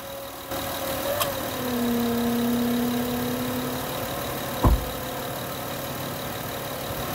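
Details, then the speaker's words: 2010 Honda Odyssey with battery light on, owner suspects alternator: at idle, A/C switched on to load the system, engine note sags and shifts; suspected failing alternator. "all right you may have heard the engine noise change there"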